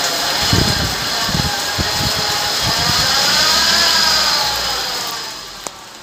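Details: 2012 Hyundai i20 petrol: engine cranks and catches, then a high steady whine rides over the normally silent idle; worn alternator and AC compressor bearings.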